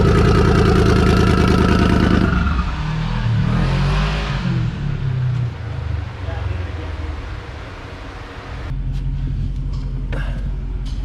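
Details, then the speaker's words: Engine on the dyno screams at high revs with a ragged, stuttering edge, then falls away. Breaking up near the top; plugs re-gapped from about 0.019 to 0.016 in. Suspected valve float, since valve springs may be stock, not confirmed. "Pretty sure that we're getting either a valve float or, because I don't remember if this has got stock springs in it or if it has some heavier springs."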